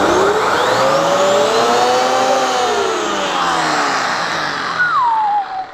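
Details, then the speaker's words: Genesis upright vacuum, normal running: a strong, steady motor whine rises and dips smoothly as the head is pushed and pulled, with no rattles or grinding. Its brush roll is air-driven by suction and spins fast. "that is one powerful machine remember this brush in particular is air driven so as the suction power cause it's it's the air that's driving it and for the fact that it's spinning so fast"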